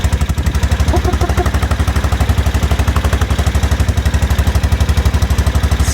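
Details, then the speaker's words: Aprilia Pegaso single with cleaned carbs and new carb inlet rubbers, warm, choke off, possibly around a thousand rpm, with a steady, even thump of about four beats a second and no misses or hunting; idles cleanly. "so it sounds pretty good sounds like it runs as it should I'm quite happy with that heat getting now that's the choke off"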